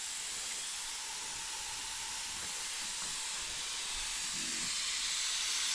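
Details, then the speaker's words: Honda intake manifold with a paper gasket, pressure-tested with compressed air, engine not running. A steady high hiss of air escaping under pressure; a leak thought to be at a hose, exact spot unconfirmed. "Okay. All right. That was 15 shot. Right now somewhere else I think it's on a hose."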